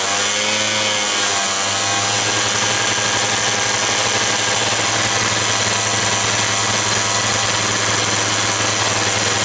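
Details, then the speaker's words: Quantum RS two-stroke started with help after the carburettor was primed. Shrill, steady buzz holding high revs without settling; idle revs a bit too high, so the carburettor will be dismantled preventively. "widzicie ten silnik odpali musiałem mu pomóc akumulator rozrusznik to się wszystko potem zużywa ale jak widzicie obroty są wysokie trochę za wysokie"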